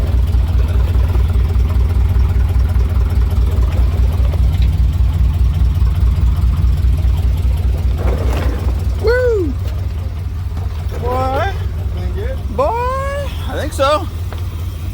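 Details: 1988 Chevy K2500 pickup after sitting, fuel system overhauled and converted from fuel injection to carburetor: low, even idle pulse holds steady without stumbling or dying; normal idle.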